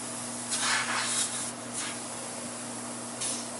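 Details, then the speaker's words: DIY air compressor built from a mini fridge compressor and an 11-gallon air tank, restarted on mains power after removal: steady low hum under bursts of air hiss, no knocking or stalling; normal compressor running. "but we are going to turn it on now it's running"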